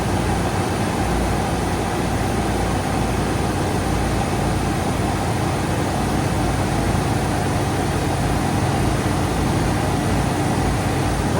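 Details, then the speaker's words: 1987–1995 Ford F-series truck, 5.0/5.8 V8 with fuel injection, just started after throttle position sensor work for hard starts, stalling and rough idle: steady, even low rumble with no dips or stumbles, idling smoothly and holding speed. "Oh, wow. That's really good. really really good. See what happens here. Should idle down here in a minute."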